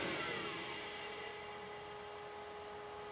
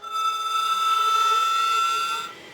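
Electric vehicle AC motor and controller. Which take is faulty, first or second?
second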